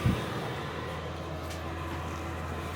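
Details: Diesel heater running at full power in a garage. The outlet is audible while the inlet is nearly silent. A low, even hum with no knocks or surges: running smoothly and quietly.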